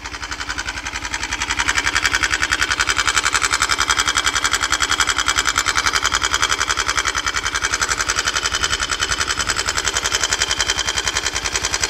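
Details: 169FMM motorcycle engine after seizure: sharp metallic tick on every turn, about 210 a minute, steady at idle; engine knock.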